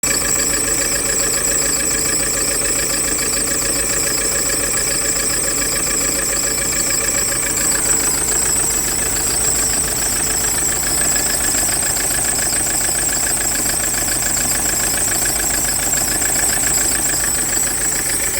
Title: How to quickly rule out a mechanical failure on a misfiring diesel engine.